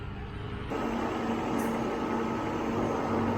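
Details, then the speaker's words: 1995 Mercedes-Benz S600 Japanese import idling after a quick start: smooth, even, soft hum with no ticks or knocks, air pump quiet, barely any vibration; normal idle. "air pump is quiet no noises from any police quiet very nice engine runs really you barely feel it"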